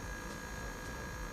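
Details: J-Tech inverter air conditioner that runs but doesn't cool and cuts out, recorded at the outdoor condenser unit: with the compressor wired directly to power, a steady even hum, low drone and faint fixed tone as compressor and fan run, so the control board is suspect.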